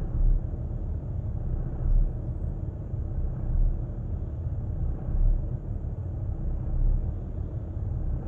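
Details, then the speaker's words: New 2020 Ram 2500 with 249 miles, cold start in reverse after several attempts: deep low idle rumble sagging and swelling about every 1.5 seconds, revs dipping toward stall in gear; cause unclear. "finally did it uh successfully notice the idle dropping down i'm in reverse still foot on the"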